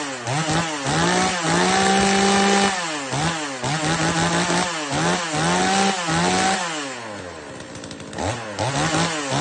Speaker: เนี่ยครับอันนี้ผมยังไม่จูนแหลมนะครับผมจูนให้น้ำมันหนานะเสียงมันจะเหมือนเหมือนจะแป๊ดขึ้นได้อีกนะเหมือนจะฟีดขึ้นได้อีกนะ